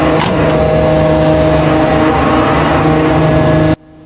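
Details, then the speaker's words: 130+ kW motor on 380 V star-delta starter, after replacing contactor coil with correct 380 V one; earlier tripping traced to loose connection: even constant hum, no buzzing, chatter or surging, then cuts off; normal running. "This is normal This is normal. He has no problem with this control circuit."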